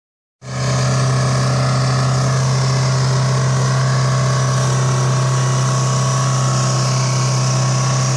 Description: The trucks turbo had a blown seal allowing engine oil to get pumped into the inlet. As diesels run on anything the engine could not be turned off.